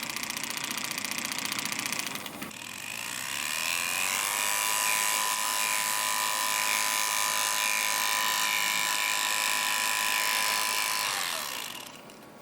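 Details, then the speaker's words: Pride power chair drive motor with gearbox open during regreasing: motor spins to high steady whine with light even clicking about four times a second; owner suspects a brush or rotor rubbing the casing, not the gearbox. "kind of a cool mechanism by the way that clicking sound is one of the motor brushes"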